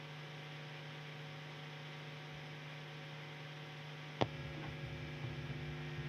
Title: GITARA BRUMI - dlaczego i jak się tego pozbyć? - FILMIKI O GITARACH